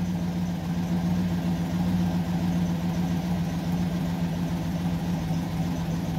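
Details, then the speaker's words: GMC Yukon (low oil pressure case), warm idle after a new oil pressure sensor. About 1 psi at idle brings a rough lifter and valvetrain clatter that quiets as rpm rises. Not the sensor or pump; the mechanic suspects a worn, poorly maintained engine. "but as you get down back to that like one psi the engine goes right back to sounding like there's wrenches inside of the engine it's not an oil pressure sensor issue it's not a oil pump issue"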